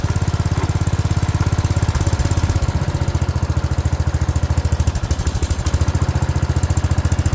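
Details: 1970s AMF 1414 barn-find garden tractor, first run after a no-spark fix and fresh oil: loud, uneven single-cylinder chuffing, roughly two beats a second, with lumpy gaps and surges. It sounds fuel-starved; owner suspects an unsuitable fuel filter.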